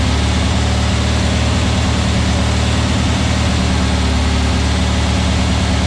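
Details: New VW Beetle 1679cc single-port flat-four, Scat C25 cam, dual Empi ICT carbs, first fire-up during 20-minute cam break-in: deep even burble at steady fast idle, no knocks, ticks or misses; timing spot on, no leaks, carbs need tuning; normal running.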